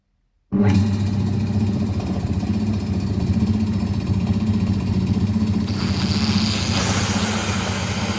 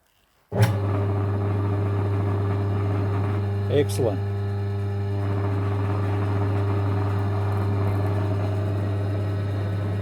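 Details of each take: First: Secondhand air compressor unused for many years, after motor repair: steady even motor hum with smooth belt drive and no knocks or squeal, then a rush of air as the drain opens, expelling oily muck and water from the tank. Runs normally. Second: Long-unused secondhand air compressor after motor repair with capacitor repositioned to stop shorting: motor starts and settles to a steady low hum with slight buzz, likely frame vibration from loose mounting bolts.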